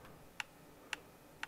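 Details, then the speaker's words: Xbox One X that boots but gives no video, suspected failed TDP158 HDMI chip behind the port; controller headset picks up three crisp menu clicks over near silence, confirming the console runs despite no picture. "You should be able to hear the clicks that the system makes when you move around the menu."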